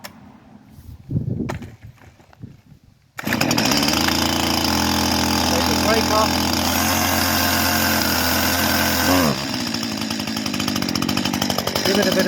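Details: Two-stroke Stihl chainsaw just fitted with a new chain, started from cold on choke with brake on, catches after a few pulls and holds a loud, steady high-pitched run with a clean rev near the end; sounds healthy.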